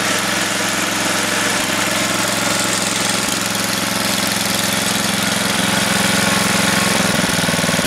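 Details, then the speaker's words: Craftsman 10 hp, 28-inch snowblower, cold start just after a carb kit and head gasket rebuild, started first pull. The single-cylinder engine, still cold, putters evenly at idle with no misses or hunting. Normal cold idle. "Let's go. You ready? Listen to that thing hum."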